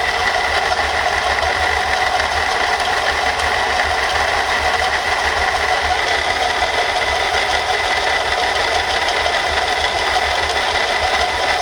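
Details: Mercedes-Benz C240 at idle: a steady, dry, chattering metallic rasp and hiss from a broken water pump bearing that makes the pump wobble and leak water.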